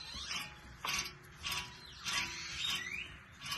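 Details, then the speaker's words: 2013 Fiat 500 rear passenger wheel bearing, hub spun by hand with caliper and rotor removed: gritty clicking bursts from the bad bearing, which roars above 30–40 mph when driving. "That clicking is the bearing, and it's bad."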